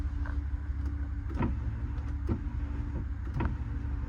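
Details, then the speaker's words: Vehicle at Copart auction: power window switch pressed, motor whirs inside the door with scraping bursts but glass does not move; window regulator suspected broken. "Okay, it looks like that window's broke because I can hear the motor and the regulator moving in there."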